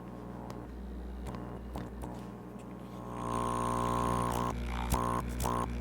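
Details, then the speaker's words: CoralLife Tetra Luft diaphragm air pump after diaphragm kit repair, rheostat turned up: steady low electric buzz after handling clicks, louder as output rises; pump runs normally. "So now I got a working backup Luft pump again."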